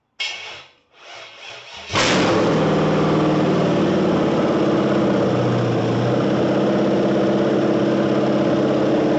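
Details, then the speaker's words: 1978 El Camino with rebuilt cammed 6.0 LS, restarted on a different tune: brief crank, then the V8 settles into a steady, choppy cam lope with no throttle held; healthy idle, crisp throttle response. "not even touching the throttle she's idling look at that healthy camp and check this out no delay on that throttle real crisp"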